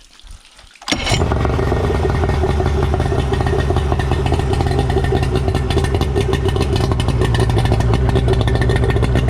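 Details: Suzuki DT65 outboard after replacing fuel pump (found mounted upside down) and ignition key: fires instantly and settles into steady, even low burble without stumbling or surging; now runs properly.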